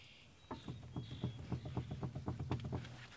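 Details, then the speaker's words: Front wheel raised and shaken by hand on a car with rear drum brakes, checked for a suspected bad right front wheel bearing: quick dull clunks, about four a second, with each shake; loose front wheel bearing. "to side that thing is definitely loose boys"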